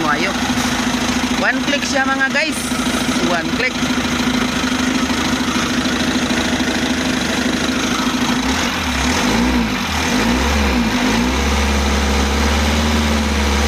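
Engine cranks over, catches and settles into a steady idle with a low even beat under some background clatter; it starts and runs normally.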